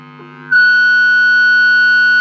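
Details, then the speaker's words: Strat neck pickup, and possibly the bridge pickup, through an amp: low hum jumps into a loud, steady high squeal, which is microphonic pickup feedback. "Hear that squealing? Seems like the bridge pickup might be as well."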